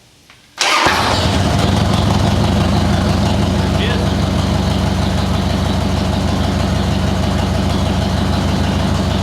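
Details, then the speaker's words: Motorcycle with a CV40 carburetor after replacing the choke (enrichener) cable, fuel on reserve, choke fully out: quiet, then it catches at once and settles into a steady, even fast idle on choke; a healthy cold start. "Pull the choke all the way out. Clutch in, key on."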